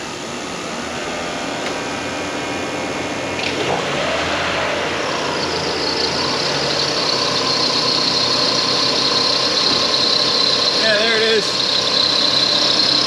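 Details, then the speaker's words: Lexus RX400h hybrid engine restarted the next day: a steady high-pitched belt-like squeal at idle from under the cover. Climate control and external parts are ruled out; a belt tensioner or a weeping water pump wetting the timing belt is suspected. "again it sounds like a belt but there is no belt got to be one of the belt tensioners or something like that or maybe the water pump is weeping and it's getting on the uh the timing belt"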